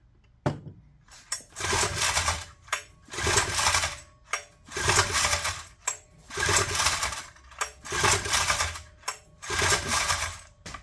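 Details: Honda EM400 generator, first run after reassembly: engine revs up and drops back in surges about every 1.5 seconds instead of holding steady; governor functions but is hunting and needs adjustment.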